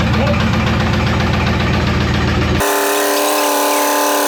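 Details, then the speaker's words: Camaro/Firebird LT1 V8 run without oil or coolant for over five minutes: labouring drone with a steady rapid knock from oil starvation, temperature climbing, engine slowing as it starts to seize. "No oil, no cooling. It's almost getting a little boring. Hey, let's see your Ford do that, huh? You guys knock the old L1. It's knocking you right now."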